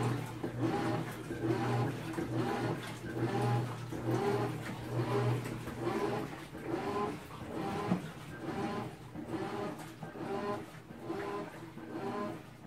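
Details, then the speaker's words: Replacement GE GTW330ASK4WW top-load washer washing sheets, second unit of same model after first was declared defective; loud rhythmic churning and thumping about once a second through agitation, still far too noisy, cause unclear. "in my opinion that's still too noisy for a washing machine tonight"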